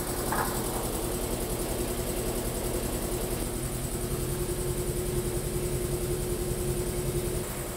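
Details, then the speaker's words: New Polar Air Industrial Plus 7.5 HP compressor (Eaton), 120-gallon tank, first run: steady even pump drone and constant hum, no knocking or rattling, at about 60–65 PSI shortly after start; running normally. "I think it's working. It's already at like 60 or 65 PSI. It hasn't been on very long."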